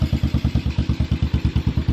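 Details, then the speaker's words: Pit bike small single after carburetor cleaning and new fuel filter, first start in neutral: slow, even thumping idle about eight firings a second; idle a bit low, carburetor still to be tuned. "oh yeah that's good and that's i don't think first kit let's bring it around so the idle is a bit low"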